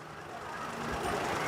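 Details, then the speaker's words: Perodua Myvi 1.0 that stalled with aircon on, after repair: aircon compressor switched on and off repeatedly at idle, engine level rising slightly under load with no stumble or stall; normal idle with AC cycling. "On. Engine masih hidup. Off. On. Off. On. Off."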